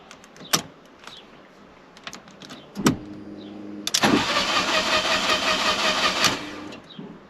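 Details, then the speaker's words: Fiat 500 TwinAir replacement engine first start attempt: a few clicks, then starter spins about two seconds without firing; crank-no-start, fuel pump not heard, owner suspects fuel cut-off activated. "well that's not good right so it looks like the fuel cut off was activated"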